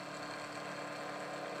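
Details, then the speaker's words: Milling machine taking a meaty pass, end mill about 10 thou below the stock edge into the fixture, cutting a Hemingway knurler part to size: steady, even cutting tone with no chatter or squeal, cutting cleanly. "I wasn't really sure how this was going to behave but it sounds good let's go ahead and take a nice meaty cut here and get this part down to size that seems to be going really well"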